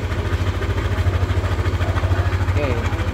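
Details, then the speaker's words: Yamaha All New NMAX 155 VVA scooter engine idling with a heavy, very rough low rumble throbbing about three times a second, still rough when revved; owner's complaint of rough engine noise from a rotating component; worn camshaft bearing. "pas engine star engine Eng speed juga nih suarnya tetap seperti ini kasar suarnya sangat kasar bergemuruhah ya ini yang dikelukan oleh pemili kendaraan"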